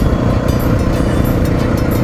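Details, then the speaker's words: 2000 Honda XR600R, low-hours engine, riding straight down the road: steady single-cylinder thump with even firing and strong pull, no ticking; rider suspects worn cam chain sliders letting chain drag. "the motor runs good and has good power it's not ticking"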